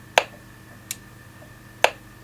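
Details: Galaxy DX98VHP 10-meter amateur radio with a DC power fault: the display is dead and only sharp isolated speaker clicks sound in near silence. Owner first suspected voltage drift or a supply problem; the fault was traced to a poor factory-looking solder joint on Q37.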